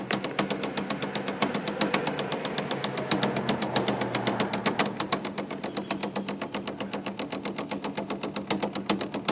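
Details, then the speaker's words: IBM Selectric II correcting typewriter running: steady thump about two and a half times a second over the motor, machine also squeals and freezes when keys are hit; center hub cracked all the way through. "that is the sound of a hub Center Hub gone bad that thumping sound that Hub down there is broken"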